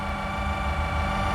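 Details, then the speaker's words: 2010 Volkswagen Polo 6R 1.4 with ignition on: a steady electric whir and hum from the leveling motor inside the right front headlight, which keeps running as it tries to adjust the light; customer mistook it for an engine noise. "I'm here with your light so that sound is coming from inside your light is a motor so he has a plug there's a motor to adjust your lights so that is staying on that motor it's trying to adjust your light"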